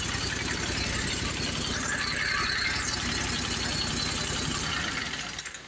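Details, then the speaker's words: Commercial Briggs & Stratton 25hp V-twin on a Simplicity Champion XT zero turn, heads replaced after a pushrod problem, idle adjusted. Steady, even beat at constant speed, fading at the end. Sounds normal: normal running. "l have to see if I have to adjust the idle, but to me that sounds normal."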